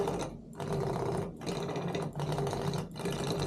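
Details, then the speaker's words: Simagic P-HPR Neo pedal haptic unit 8554, one with a tactile-feel issue, on the clutch and throttle ports of a P2000 control box, same as on the brake port: buzzy mechanical chatter in short bursts with gaps; rattles like crazy, defective, cause unconfirmed. "this one rattles like crazy clear lead defective"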